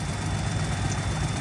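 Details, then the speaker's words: 1992 Chevy Blazer K1500 after fuel injection cleaning, with the MAP sensor unplugged; low uneven hunting idle that sounds lean. Owner suspects the fuel pump is failing; a fuel pressure regulator check is planned. "I unplugged the map sensor which do check engine light which ultimately means it's not getting enough fuel my guess is the fuel pump is probably going out in it"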